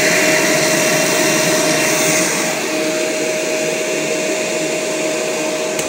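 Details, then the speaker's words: 1996 Kirby Generation 4 80th Anniversary vacuum after suction fan replacement, running with vacuum head; steady airy roar with constant mid-pitched whine, no knocks, a bit noisy with age: normal running. "this yeah makes noises now but you know it's getting old what can I say this thing came out in 96"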